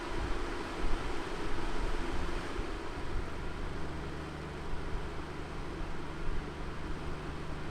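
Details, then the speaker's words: Dreo CF511S table air circulator fan stepped from its highest setting down to its lowest: a soft, even rush of air that gets lower and quieter at each step, with no rattle or ticking. Quiet fan running normally. "see it's not a loud fan and for me it's perfect for sleeping"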